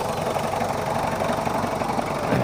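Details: Mitsubishi Kuda diesel, cold engine at 68 degrees on digital gauge, after service and injector nozzle replacement: even, steady idle clatter with no irregular knocks or misses; healthy for a cold engine.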